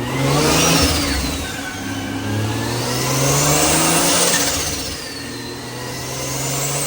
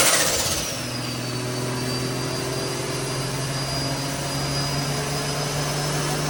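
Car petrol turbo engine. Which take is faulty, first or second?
second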